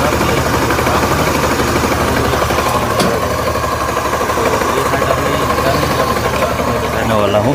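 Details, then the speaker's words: Motorcycle engine with a knocking noise after startup, heard at idle. A dull, uneven knock about four times a second comes from the bottom end. On teardown the crankshaft shows play and is found to be the source: a worn crankshaft bearing. "ये crankshaft में sound हो रहा है।"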